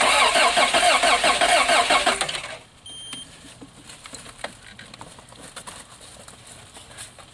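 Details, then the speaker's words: 1986 Toyota van that sat about 5 years, new starter just fitted, cold day, starting fluid used, spark confirmed: steady regular cranking about two seconds, stops without catching; crank no start, owner suspects fuel pump not delivering fuel. "Little starting fluid, see what happens. All right, so we got spark. Not sure we're getting fuel."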